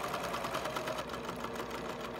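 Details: Sewing machine with a Schmetz Microtex sharp needle for fine fabric, sewing a marker case: quick, even stitching rhythm with steady light clatter and no catching or thumping, unlike the sound of a needle needing replacement. Normal sewing.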